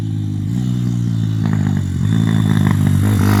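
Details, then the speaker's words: Z160 engine in a CRF50 Chinese-frame project pit bike, first test ride on a private track: revving single with sharp, irregular exhaust pops and crackles on throttle changes. Owner suspects the exhaust is coming loose at the manifold. "That is poppling and a cackling away. I think the exhaust might be coming loose at the manifold."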